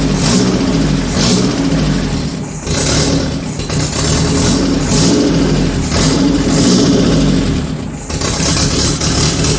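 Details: 1978 G12/612 engine, overhauled after sitting for decades: runs but speed sags and surges every couple of seconds, can't hold idle because electric idle control valve doesn't work.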